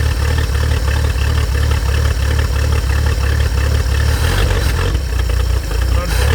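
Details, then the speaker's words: 1950 Chevrolet Fleetline Deluxe six, sat for years, started after jogging the carburetor float: steady, even idle pulse of about three beats a second, then a quick rev that picks up cleanly; runs smoothly. "[Music] unbelievable look at that like new"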